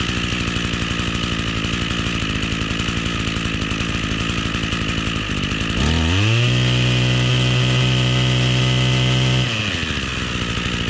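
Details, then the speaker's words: Echo two-stroke string trimmer after replacing stiff fuel lines, cold start with choke: steady idle, slightly boggy right after startup until warmed 20–30 seconds, then clean full-throttle pulls and back down; running healthy. "all right guys well that seems like a pretty good fix uh it was a little boggy right after startup and i believe that was just because i didn't let it warm up enough after about 20 30 seconds of letting it warm up it was doing some uh full throttle pulls and had no issues"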